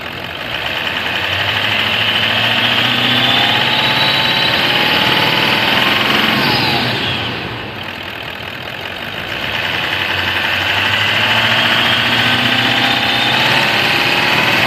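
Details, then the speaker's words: 2017 Toyota Land Cruiser VX 200 diesel, after repair without overhaul for knocking, low power and oil consumption: smooth, even idle with steady clatter, fuller swell midway, knocking gone; normal diesel idle. "Alhamdulillah normal nih, Pak. Alhamdulillah bisa saya betulin. Ngerteeknya hilang, knockingnya hilang."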